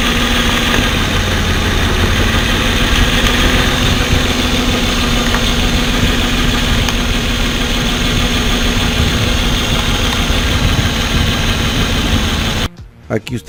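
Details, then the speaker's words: Pickup with a flashing check engine light and code P0350: rough, uneven idle with a recurring stumble as one cylinder drops out. Unplugging each coil connector changed the sound except at the bad coil, confirming a failed ignition coil. "pudieron ver la falla claramente verla y escucharla se dieron cuenta como a la hora de que les conectaba cada conector el sonido del motor cambiaba"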